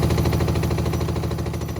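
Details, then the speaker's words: Hotpoint WMXTF942P washing machine at full-speed spin with a full wet load; heavy fast rhythmic thrumming and banging, drum not damped. Spin vibration from worn shock absorbers, more than likely dry. "That is quite excessive. More than likely the dampers are dry."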